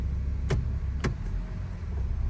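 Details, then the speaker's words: 2004 Honda CR-V after replacing worn engine and transmission mounts (broken bushing), shifting into gear: low steady engine hum with only light clicks as gears engage, no clunk, jerk or vibration; normal engagement. "so much better no more vibration a lot better problem solved now no more jerking no more clunking pretty good yep no more clunking noise"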